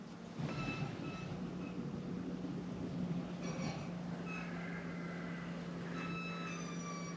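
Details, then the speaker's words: 2015 Jeep Grand Cherokee Limited EcoDiesel after oil, air and fuel filter changes, key turned to run without the brake to prime the new fuel filters: low steady buzz with odd chirps from the fuel pump underneath, normal priming. "so you turn it to run let it do its thing you'll hear the fuel pump underneath might make some funny"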